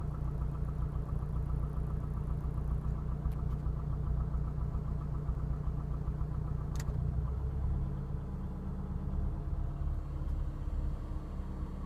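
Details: Engine idling with a low, loose knocking under the hum that shifts when the load changes partway; switching the A/C on or off seems to induce it, owner suspects piston slap, not confirmed.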